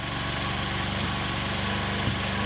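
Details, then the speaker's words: Motorcycle idle-air screw being adjusted: turned fully in, it stumbles and nearly dies, then backed out. Hands-off idle with no throttle is a steady, loud, even droning hum; loud droning idle. "nah tuh teman-teman ini tanpa saya gas ya ini harus bisa seperti ini suaranya keras bernganang"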